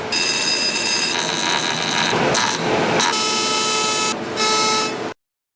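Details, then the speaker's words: Whirlpool dryer running: loud, harsh buzzing scrape with piercing high tones. Something has likely fallen inside the blower (fan) wheel housing and is rubbing against the blower wheel; check inside the housing. "revise el interior de la carcasa donde está la rueda de ventilación para ver si algo se ha caído dentro de la carcasa y esté raspando con la rueda de ventilación"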